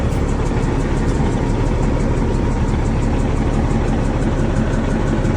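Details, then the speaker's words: Kenworth W900 diesel first start after roadside turbo and air-to-air swap: loud, lumpy, uneven idle that smooths out as it warms; rough running diesel just after start. "sounds like uh sounds like she's hurting somewhere oh it's getting a little better sounding a little better now sounded rough at first"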